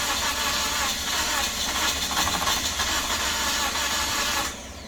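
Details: Toyota Corolla cranks steadily with a hissy, uneven exhaust sputter but never catches; the engine was probably flooded, as it started and ran after sitting for a while.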